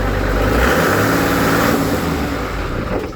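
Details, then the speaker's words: Engine with idle set about 1000 RPM: revved high then throttle dropped quickly, revs fall and it dies to silence; stalls on fast deceleration, only survives if rpm is lowered very slowly; cause unknown. "And it's okay. And if I bring the RPM from high speed to lower fast, it'll stop."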